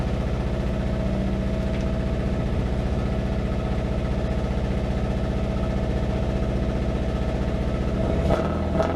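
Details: Honda Civic EP3 Type R running very badly: uneven shaky idle with a stumbling beat about three times a second; one cylinder not firing.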